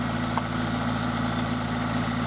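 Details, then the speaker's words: Toyota MR2 Spyder with a replacement 2ZZ engine at idle. A fast, even ticking chatter rides over the engine note; it has occurred since purchase, when cold, smoothing out after a minute or two of driving. Owner suspects valve clearance in the valve train. "so the engine's been making that noise uh pretty much since I bought it and um what I noticed was that it would do that in when it's cold and then after I drove it for a little while really only maybe a minute or two it would smooth out and go away"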